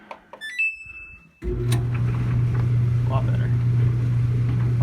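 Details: Samsung dryer after fix: beep at start then even low tumbling hum, no rattling left from the loose pipe underneath, now supported by stuffed fire-retardant insulation.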